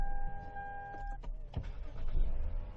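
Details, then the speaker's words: 2005 Lexus GS300 towed in with no-start, failed starter replaced: after new starter installed, brief whirring crank with steady whine, then engine catches and settles cleanly; check engine light off with battery disconnected; normal crank and start. "okay so this start that's good it's a good sign"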